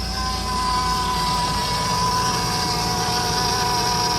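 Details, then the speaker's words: 2008 Mercedes C300 after topping up power steering fluid for stiff steering, suspected leak near hose; steady thin high whine over even idle from the power steering; power steering pump whine. "You hear the whining noise? Yeah. You hear that whining noise? That's coming from power steering."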